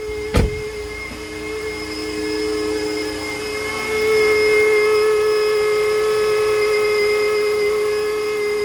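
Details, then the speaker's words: 2010 Dodge Journey SXT V6 with 277k miles, idling after sitting a couple of days and started from inside. A steady high whine comes from the failing alternator, which charges below 13.6–14 V and has the battery light on. "You guys can hear the alternator going. You guys can hear whining."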